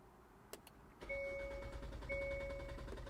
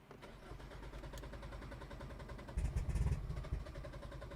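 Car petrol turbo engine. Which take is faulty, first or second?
second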